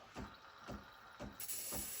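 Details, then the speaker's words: Used Breville Barista Express BES870 steam wand purge after turning steamer on and pump engaging near full pressure: wet spurts about every half second, then steady hiss as pressure builds; normal purge flushing water. "I just did the the Disco which flushes the Steam on that's why a lot of water comes out oh yeah that's pretty much full pressure"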